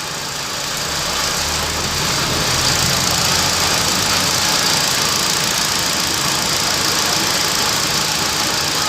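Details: 2012 Hyundai i20 petrol after alternator and AC compressor bearing replacement, idling steadily and evenly with no whine, rumble or chirp from the belt-driven accessories; the engine sounds healthy.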